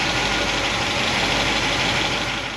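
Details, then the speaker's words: Warm engine with solid roller lifters, valve covers on, after moving pushrod guide plates down to clear pushrods and retorquing: steady even idle, valve train noise much reduced, only a faint mechanical tick left. "We're going to go through all the guide plates and move them back off the push rods because we still got just a little bit of mechanical noise."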